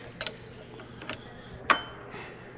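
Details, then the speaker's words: Caterpillar 3406C diesel after fuel injection pump install and pin timing; timing gears rocked by hand give a few light metallic clunks in a quiet room, showing normal backlash. "but there you can hear the gears clunking so i have backlash so we're in good shape"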